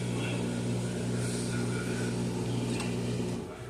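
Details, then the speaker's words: Amana front-load washer in diagnostic mode, drain and spin test: steady low hum with even pump drone, no knocking or grinding; normal drain and spin. "Drain, spin. And we'll button that up. And then it should start draining the water out."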